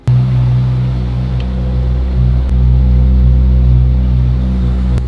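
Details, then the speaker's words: Ferrari 458 GT3 race V8 idling with deep steady rumble, no stumbles; previous low-RPM misfire gone after spark plugs, then ignition coils or air max fix. "I think it was either the ignition coils or the air max, but it's running better, healthier. I don't hear the low-end misfire that I used to have"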